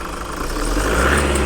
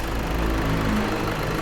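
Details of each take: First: Toyota Fortuner diesel at about 170,000 km, loud noise at the front of the engine: metallic whirring rattle on revving, like metal rubbing on metal; charging checked first. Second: Toyota Fortuner/Vigo/Revo diesel after replacing the front pulley and worn belt, battery warning light now off; steady, smooth, very quiet idle with no squeal, chirp or rattle from the belt end, normal idle.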